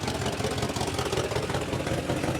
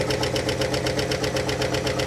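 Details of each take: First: 1958 Mercury Montclair Turnpike Cruiser V8, first start after sitting a year, primed: steady, even idle with soft low burble, no knocks or ticks; oil pressure up and charging, sounds healthy. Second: Abandoned 1958 Mercury Turnpike Cruiser V8, first drive in 30 years, vacuum lines disconnected: idles with sharp even tick about eight per second, new after driving; lifter tick at cylinder 4, passenger side, where one of the push rods is not oiling.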